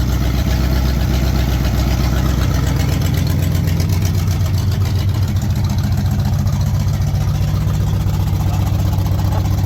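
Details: 1968 Pontiac Firebird 400 V8, just started for the first time since 1986 after cleaning and gapping the points, with a temporary fuel source: steady, deep, even idle with a low rumble and no knocks or misses; normal idle.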